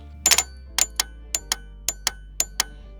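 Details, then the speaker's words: 1985 Merkur XR4Ti relay bench-tested with battery leads: sharp dry clicks in pairs, pull-in and release, crisp and consistent with no chatter; a healthy relay. "hear it clicking so you can hear that relay clicking"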